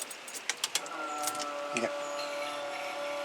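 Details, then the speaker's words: 1990 Fleetwood Southwind motorhome, 460 Ford gasoline engine: after the battery switches are turned on, the fuel pump hums and ticks as it primes normally, filling the repaired Holley 4-barrel carburetor with gas without flooding. "hear it pumping that's right then before it was it would be filled up with gas right now that whole thing will be filled up with yes"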